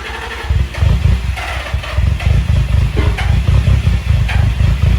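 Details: Nissan 350Z, jump-started from a truck after a new camshaft sensor and a replacement crankshaft position sensor. Before it wouldn't start at all; now a low, lumpy idle surges and sags. Rough idle.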